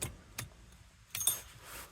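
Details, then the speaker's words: 1974 Rolls-Royce Silver Shadow, carbureted with points ignition, after fuel system troubleshooting: faint scattered ticks with key on, then quiet as pressure builds; fuel pump primes and shuts off normally. "oh Fel pump is running good and so I guess it builds up pressure and then it"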